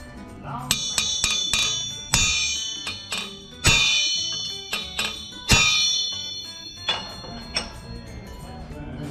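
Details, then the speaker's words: Forged Big Block Chevy 396/427 crankshaft (6123) being straightened by peening: sharp hammer strikes each followed by long clear bell-like ring fading slowly; rings like a bell, so not cracked (a thud would mean broken). "Nice ring, so you know it's not cracked. That's the other hillbilly way to test to see if a crank's cracked. It should sound like a bell when you hit it."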